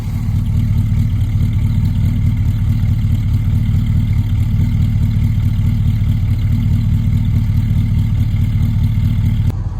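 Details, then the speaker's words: Holden HQ ute V8 at idle after exhaust refit and alternator wire fix, revived after 20 years: deep, steady, smooth burble with no ticking or clatter, manifolds burning off; sounds healthy. "It's burning off a bit on the manifolds, but this thing's an absolute sweetheart now. Lovely. Lovely, lovely. I've done it. It's healing."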